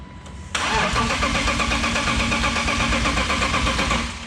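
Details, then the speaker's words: Boosted BMW E36 on a jump box with dead battery, after fitting a new sensor for missing rpm signal: starter cranks steadily at an even pulse about four seconds but never fires; still no rpm signal, cause unknown. "i'm using a jump box so battery's dead i wonder if that battery is too dead oh that answers that all right jump box installed let's try it again"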